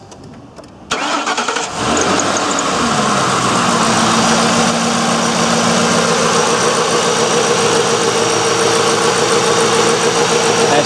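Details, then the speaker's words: 2004 Ford Crown Victoria with electronic returnless fuel system, first start after fuel pump replacement: cranks, catches cleanly and settles into an even idle with no ticking or knocking; sounds healthy. "pretty good know ticks bow sound good you know no knocking now"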